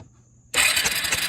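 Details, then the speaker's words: Early-to-mid-90s Suzuki King Quad 300 ATV, left sitting outside, cranked with the very black spark plug removed while checking spark (spark present but not very blue): fast, even, airy starter whir spinning freely; normal cranking. "yeah we got Spark all right so I mean it's not really blue but I had a run with it I'm sure"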